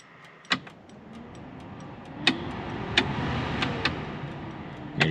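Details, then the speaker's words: Buick Centurion blower fan after stereo install: switch clicks then steady airy rush through all speeds, smooth with no rattle or scrape; works normally. "However, let me show you the fan, how well it works."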